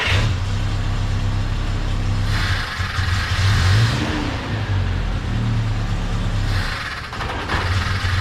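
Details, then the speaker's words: Carbureted truck after a carb swap, before setting float level: revs climb briefly, then sag and bog, nearly dying, as it did every time it moved around the backyard; stumble and near stall on revving, cause suspected, not confirmed. "well the past couple times I moved around in the backyard with this on there it almost die every time it wouldn't uh end up getting up and revving up"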